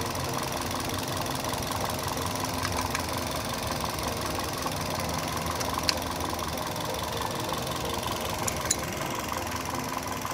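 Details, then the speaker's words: Toyota Yaris (Bakpao) at idle after replacing a dead ignition coil that had caused misfiring and shaking, with a loose bolt also shimmed and tightened: even, steady hum with no stumble, RPM now stable; normal idle. "Ya udah teman-teman sudah kita ganti koilnya ya jadi lebih stabil kita kalau sudah ganti seperti ini kita baut lagi nah ini sudah anteng"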